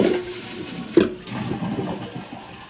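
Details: Test flush after replacing the flapper on a toilet that kept running: quick rush of water drains, then tapers smoothly to quiet refilling with no hissing afterward; normal, healthy flush, problem fixed.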